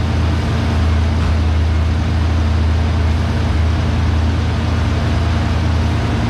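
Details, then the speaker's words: 1990 Ford Mustang GT 5.0L V8 with new plugs and wires, owner chasing an rpm surge that appears around 180–200°F; started cold, it gives a steady, even low rumble with no hunting or surging and idles smoothly. "it will probably run pretty darn good because it's cold right now again we'll see what happens when it gets to the 180 200 range that's when i start having the issues"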